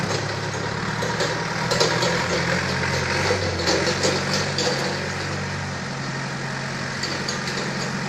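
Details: Balkancar diesel forklift after repair, with engine, clutch, brakes and running gear overhauled. Steady, even idle with a regular low chug and no knocks or rattles; the engine sounds healthy.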